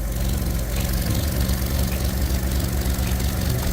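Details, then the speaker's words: Ford Ka (Fiat 500 based) at idle: a loud, low chuffing puff with each firing and a deep flat rumble; a split back box is leaking exhaust gas and the exhaust needs replacing. "hello vodka definitely I need that exhaust done"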